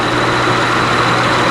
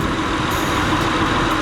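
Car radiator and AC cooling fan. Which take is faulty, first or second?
first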